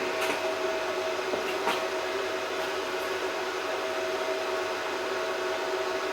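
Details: Welder running through RCD-protected extension, welding a motorbike seat loop, checking for socket trips. Continuous buzzing hum with a few sharp crackles as the arc runs; welder keeps running steadily without cutting out or tripping.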